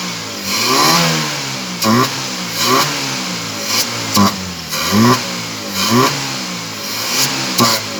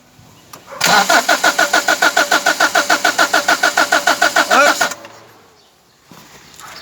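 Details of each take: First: Toyota small-body carbureted petrol engine that would not start, after fuel was poured into the carburetor and choke applied, now runs and is blipped repeatedly, each rev rising and falling quickly. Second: Toyota small body car that won't start; starter cranks evenly about three and a half turns a second but never catches, spark present at high tension wire, no fuel reaching carburetor; next step adding fuel and choking.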